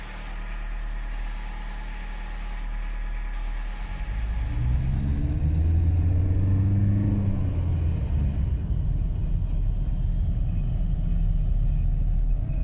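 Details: 1989 VW Caddy: low drivetrain rumble with a whining tone that rises and falls with speed. A bad gearbox bearing is suspected.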